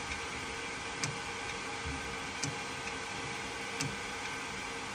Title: Real issue is around 1.07 you can hear the clicking noise and nothing happening